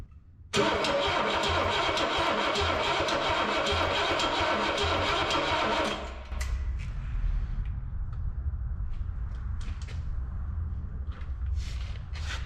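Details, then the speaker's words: 1960 Cadillac Coupe DeVille barn find, not run since the 1970s, with spark and fuel: starter cranks about six seconds without a single pop; no-start traced to lost power from a bad connection. "Okay. Not even a pop. You said it turns counterclockwise? Well, now what'd you do? I didn't do nothing. We lost power. Bad connection."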